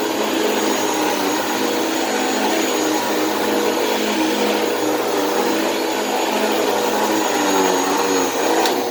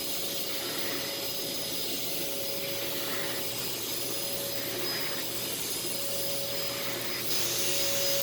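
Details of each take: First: Thrift store vacuum: loud steady motor whine with an uneven, rough edge, rough especially on wind-down; the motor sounds worn but is still running and is better than expected. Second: Thrift store vacuum, filters uncleaned: smooth, even high-pitched whir with steady airflow rush, no rattles or grinding; running quietly with very good suction.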